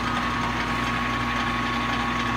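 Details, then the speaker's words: Scraped and rebuilt 14/40 engine lathe, first start after four months of major machine work: even, constant hum with steady gear whir, no knocking or grinding; running smoothly. "another hats running good uh really pleased everything everything seems to be rocking the food machines"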